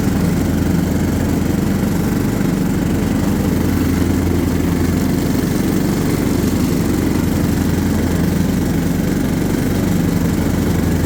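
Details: John Deere LT150 mower with replacement 15 HP Kohler engine, freshly swapped and mowing grass: steady, even single-cylinder drone, no misses or surging under load; runs well.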